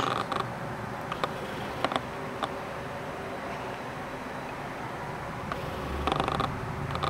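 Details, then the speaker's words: Heavy Art-series lens recording video: short dry buzzing rattles each time the focus hunts, quiet between. The autofocus motor is noisy. "Ну, конечно же, он очень шумит. Слушаем. Он тарахтит. Слышите, да? Тарахтящий объективчик."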